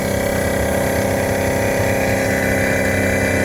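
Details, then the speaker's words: 2016 Isuzu NPR gasoline box truck (GM V8) that is not starting, no trouble codes, key in the on position with the engine off: steady, even electric hum as the brake booster pump runs nonstop. Cause suspected, not confirmed. "there's a weird noise going on with that brake booster so maybe that's just because it hasn't started I don't know"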